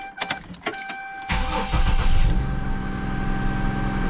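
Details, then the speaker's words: 2005 Isuzu SUV, after replacing the failed ignition coil pack: brief crank, catches at once and settles into an even, smooth idle with no stumble; misfire gone. "and smooth [Music] all right so clearly now our misfire is gone"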